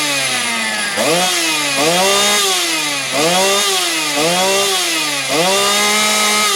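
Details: Motor Sich 270 chainsaw, after replacing the ignition coil: two-stroke buzz surges up and settles roughly once a second with no spitting or dying out; the saw started and runs healthy.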